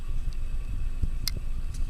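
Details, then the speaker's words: Close-up microphone on the motor of a 30" Canarm Twister ceiling fan running on high speed, about 185–190 RPM: steady low rumble, thin whine and light ticks; audible worn bearing noise even after oiling, from a well-used fan. "it does um definitely give me the impression that it was quite well used because if I bring the camera microphone real close to the motor here you can hear a very audible bearing"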